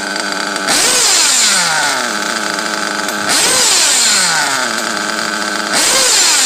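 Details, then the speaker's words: Teckno nitro RC buggy with modded RB Reds engine, lightly box-tuned and with a reading of 196, given repeated full-throttle punches. Each is a sharp rising scream falling back to a smooth idle, the sound of a well-dialed tune; a healthy nitro engine at full throttle. "you know where your shit's supposed to sound like you know what it sounds like when you pin the thrall when you give it some full throttle"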